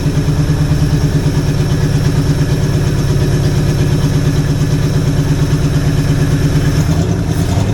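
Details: Jeep engine being revived, running on a cheap Chinese carburetor due for replacement: steady low idle with a slightly uneven, lumpy beat of about three pulses a second that won't settle; owner suspects a miss, possibly from a plug wire not fully clipped in.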